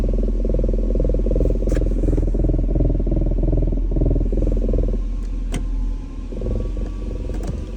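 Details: BMW E39 540 steady low knocking thump, about three beats a second, with heavy vibration while held in R or D at a standstill; source not yet identified.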